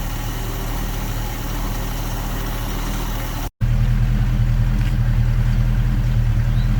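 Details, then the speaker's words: 1966 Ford Mustang 289 V8 after fuel pump replacement, sat for years: steady, even idle with smooth low rumble, no misses, knocks or ticks; healthy engine purring. "Telling you, she's a good motor, y'all. Damn right, just purring."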